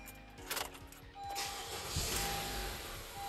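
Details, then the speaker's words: 2017 Honda Accord after installing a new drive belt and tensioner to cure a whining noise at start-up and acceleration: starts and settles into a steady idle with a brief rev, and the belt whine is gone. Normal idle and revving. "and boom no more noise guys nope one more whining noise"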